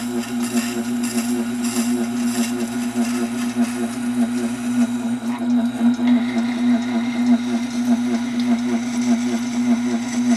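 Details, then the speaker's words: Tormek SG-250 grinding stone: a steady low hum with a pulsing wobble about every half second. It works, but the owner believes it should not sound like that; cause unknown. "well there is something there I don't know what it is it's really got me puzzled like I keep saying it's not that it's not working but I don't think it's supposed to sound like that"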